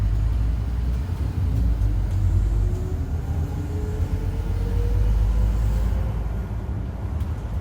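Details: 2008 Euro 4 Scania N230UD with Alexander Dennis Enviro 400 body, underway: diesel rumble with a faint howl rising slowly in pitch with road speed. Suspected bad bearing or worn tyres, not confirmed.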